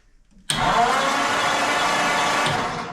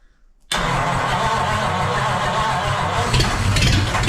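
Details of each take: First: 1940 Ford flathead, sitting since the late 1970s, positive-ground ignition, test light on the points: starter spins the engine at a steady whir for about two seconds, no firing. No spark because the points aren't working. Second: 1940 Ford flathead sitting since the late 1970s, first start with choke shut, fuel in the carb and no exhaust manifold on the right side: it cranks a few seconds, then catches and runs loud, even and unmuffled.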